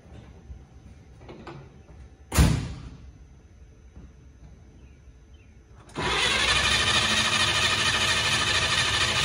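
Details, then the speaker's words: Truck converted from points to a Pertronix electronic ignition with a Flamethrower II coil on full 12 volts: a clunk, then steady starter churning about three turns a second with no firing; crank, no start. "is the electronic ignition not triggering or is the new coil not so new and not working we know we've got power so uh first time wasn't a charm"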